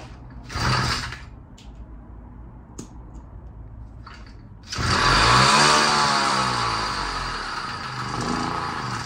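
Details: 66cc two-stroke bicycle-kit engine running on hydrogen through a hydrogen carburetor, standard ignition timing: sharp pops and spits between short bursts, uneven revs; backfiring through carburetor and exhaust because timing needs retarding.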